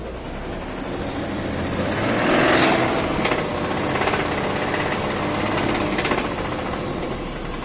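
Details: BMW M54 engine at idle: over a noisy idle a dull, repeating knock thuds through about every second beat; clear internal knock, source not pinned down.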